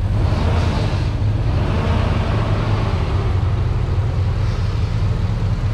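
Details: Truck after sitting a while, in cold weather: deep, smooth V8 idle with an even beat and no misses or ticks; a normal idle.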